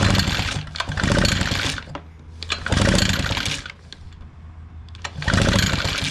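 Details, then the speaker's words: Echo PB-580T backpack blower, brought in running rough and not revving: three quick rope pulls during a spark check spin the two-stroke over without firing, no spark with switch not off. "I do not see spark. Turn that light off and see her. I don't see no spark."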